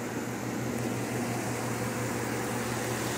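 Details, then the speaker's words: Chevy Silverado at idle after roller lifter replacement and head rework: even smooth hum, no ticking; the earlier tiki-tiki ticking like something broken inside is gone; normal idle, engine running 100%. "este es the roller lifter fue el que se le cambió a este vehículo pues ya quedó sin ningún ruido y quedó trabajando al 100%"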